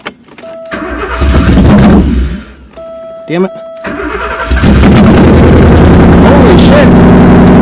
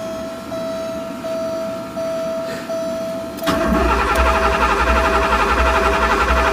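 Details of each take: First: Porsche 928 V8 (tan car) started after sitting all winter, first start in 15+ years: cranks, catches and stumbles, then fires into a loud steady idle through open headers; earlier non-start traced to crank position sensor connector. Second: Porsche 928 V8 with open headers, sat all winter and unstarted 15+ years; thin whine then steady starter cranking about four turns a second, never catches, tach barely fluttering; crank no start from a faulty crank position sensor connector.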